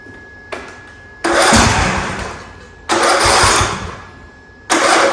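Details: Craftsman YT3000 riding mower, choked, after replacing winter-weakened battery with a 300 cold-cranking-amp unit: quiet hum, then strong cranking bursts that fire up promptly each time; fresh battery spins engine briskly.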